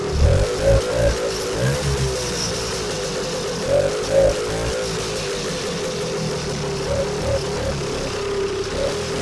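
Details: Vintage two-stroke snowmobile after a cleanup and reassembly, now pulling fuel: sputters and surges a little at first, then keeps running on its own with a fairly steady buzzing beat; fixed, ready to go.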